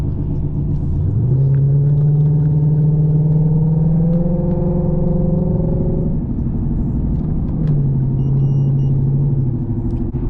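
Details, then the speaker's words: Lexus RC F driving at road speed: deep droning hum that rises and holds with speed over heavy rumble, apparently from the rear wheels; owner suspects wheel hubs or tires, with inner tire wear found, not confirmed. "All jokes aside, does anyone know what on earth his sound is? Yeah, so it could be a couple of things. It could be either the hubs or the tires."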